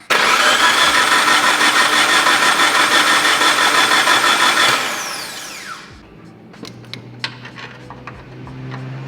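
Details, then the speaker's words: Mitsubishi Evo 4, first start attempt on newly acquired car: steady starter cranking about three turns per second for nearly five seconds, never catches; crank no start, no spark found; fuses, coil fuse, crank and cam sensors to be checked next. "what I can tell so far, the car is not producing any spark."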